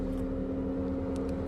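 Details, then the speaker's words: Electric radiator fan activated via OBD2 scanner actuation test with ignition on, engine off: steady, even low hum with no rubbing, ticking or wobble; fan operating normally. "If we want to switch on the electric fan here, activate up to a maximum engine of 90°. So, the fan has been activated."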